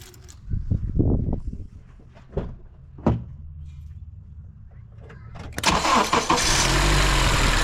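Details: 2006 Honda CR-V first start after a VTEC valve (solenoid) replacement and a fresh oil change: a few knocks and handling sounds, then it fires and settles into a steady, even idle with no tapping; healthy.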